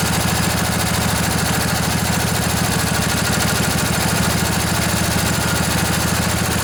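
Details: Junkyard Briggs & Stratton Intek twin-cylinder 20-25 hp riding mower engine, long sat outdoors, just revived: steady even putter with regular beat at idle, no knocks or misses, bit smoky after sitting; normal idle.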